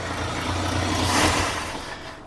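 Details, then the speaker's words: 1966 Ford F250 after fuel tank reinstall: engine swells briefly on throttle then sags, dies and won't rev; runs only until the carburetor float bowl empties, owner suspects fuel not being pumped fast enough. "Yeah, it's running out of fuel in the bowl. So, I don't think it's getting fuel as fast as it should."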